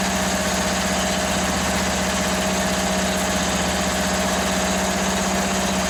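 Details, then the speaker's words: Free Toro ride-on mower's small engine runs after fuel was raised above to fill the float bowl: fast, even putter at steady idle, no misses; healthy, though it needs a new battery. "let's try it again oh look at that she's a runner yeah obviously it's going to need a battery"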